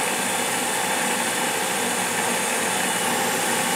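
Steady, even burner roar with a soft hiss throughout, no pops, puffs or rumbling; gas furnace burners firing normally.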